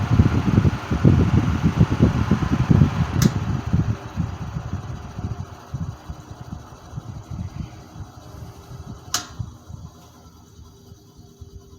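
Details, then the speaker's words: 1950s Wizard hassock fan on low speed, motor slightly seized on low with suspected bearing noise: low uneven hum fading steadily as it slows down; motor dragging, needs restoration. "you can see how it's starting to slow down at low i don't want to take my chances by uh by wrecking the the motor on it"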